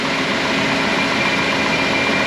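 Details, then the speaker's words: 2007 Dodge Grand Caravan 3.8 L V6, cold idle after transmission filter and fluid service: steady even idle with a fine light clatter; valve train lifter tick, which the mechanic says is normal for this engine. "no worries it's just the engine it makes that sound lifters it's got some valve train noise going on in there"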